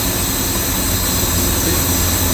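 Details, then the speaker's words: Series 1 Jaguar XJ6 started after 21 years unused, vacuum leaks from holed hoses, points not yet serviced, after about 15 minutes running: steady, even idle hum with no knocks, ticks or whines – normal idle. "running lovely really don't forget we haven't looked at any points flat blues haven't done anything like that yet"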